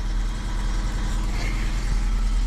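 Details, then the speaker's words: 2001 Volvo S40 petrol bought as a cheap non-runner, first start after cranking: engine idles low and lumpy with a heavy diesel-like clatter and a loud exhaust suggesting a big exhaust hole; rough idle, cause unknown. "okay right okay was it it sounds like a diesel but it's a petrol"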